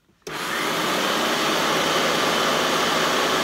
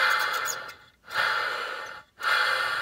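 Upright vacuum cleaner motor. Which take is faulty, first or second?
second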